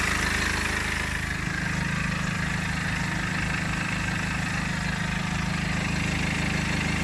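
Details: BMW E60 LCI 2009 with N47 diesel at idle: steady idle with a regular light ticking chatter about four a second; timing chain noise suspected, unconfirmed.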